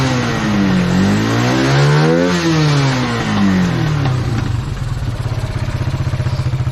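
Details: Kawasaki Bayou 220 ATV, sat about 8 years, helmet-cam test ride after air-filter work: revs climb and drop cleanly through the gears, then an even single-cylinder idle thump; runs strong, no bogging.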